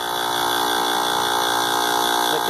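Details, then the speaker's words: Heat pump outdoor unit forced into defrost mode in freezing conditions: reversing valve shifts refrigerant flow from heating to cooling mode, then a steady compressor hum with a faint high whine and the condenser fan stopped; normal behaviour. "that noise that you heard what we call the reversal valve shifting changing the flow of refrigerant from heating mode to actually air conditioning mode"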